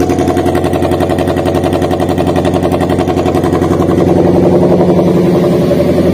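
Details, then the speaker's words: Daihatsu Gran Max idling with a dead ignition coil; engine shakes heavily, uneven lope about three to four beats a second with chuffing, rough exhaust — misfire from dead coil. "kurang lebih untuk suaranya seperti dia untuk posisi mesinnya itu bergetar hebat Kemudian untuk suara di kenalpotnya itu tidak halus"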